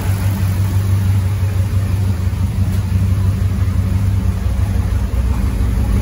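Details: Land Rover Defender 90 with swapped Chevrolet 6.2 L LS V8, Dynomax Super Turbo muffler, oil topped off and air cleaner fitted, near operating temperature (192°F): deep, mellow exhaust rumble with even beat, no knocks or ticks; smooth normal idle.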